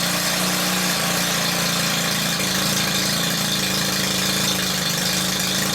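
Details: Stihl combi unit whose revs hunted between revving and near-stalling, after the loose carb tick-over screw was wrapped in PTFE tape: smooth, steady two-stroke tick-over with an even buzz, no surging; idle now holding.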